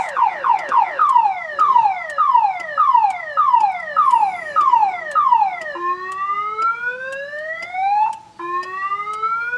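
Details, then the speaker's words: 2000 Chevrolet Impala that won't start: opening the glove compartment trips the alarm, a siren sweeping down about every half second then slower rising whoops; content theft system fault suspected. "Yep. open the glove compartment, the alarm goes off. Seems like no matter what I do, the alarm goes off."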